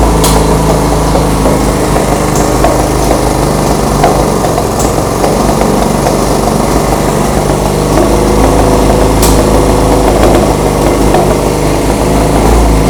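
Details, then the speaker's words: 1975 Honda CB200T twin: races at a fast, uneven, lumpy idle with no throttle applied; owner suspects an air mixture screw problem, unconfirmed. "And huh, I think the the idle was way too high. I wasn't revving it up at all."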